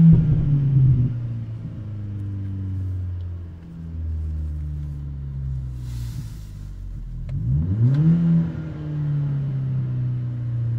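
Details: VW/Audi/Skoda/Seat TDI/FSI engine, acting up only when fully warm, won't rev past a set rpm. Revs rise, then sag and stumble with cutting out and misfire. No check engine light; codes P0321 and 000801. Fixed by replacing the G28 crankshaft position sensor with a Bosch part.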